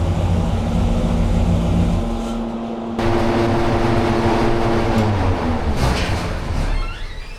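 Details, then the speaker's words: Hemi V8 on dyno with timing at 32°, pulled to 6500 rpm: hard roar, then brief crackle near the top with power drop; high-rpm misfire, valve float suspected. "maybe it's V flow yeah maybe we got V I heard a little crack up at the end there"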